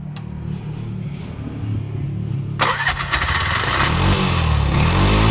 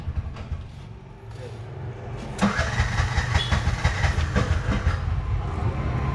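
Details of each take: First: Bajaj BS6 2023 single-plug auto-rickshaw, 10 months old, with starting trouble on CNG: after correcting an over-tight setting it cranks, catches after about 2.5 seconds and settles into a steady, fairly quiet idle with no valve clatter; normal start and idle. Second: Bajaj BS6 2023 single-plug auto-rickshaw, 10 months old, wouldn't start on CNG and was slow on petrol: after adjustment it cranks, catches and settles into a slightly lumpy idle, expected to smooth out with running.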